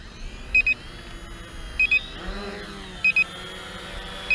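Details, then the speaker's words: Potensic T25 GPS drone while recording video: short paired high beeps about every 1.25 seconds over soft motor hum, the drone's normal recording signal. "recording video of this drone it beeps at you the whole time which is you know quite annoying so um especially when you're doing a review like this and you have to talk over it but there's nothing i can do about that"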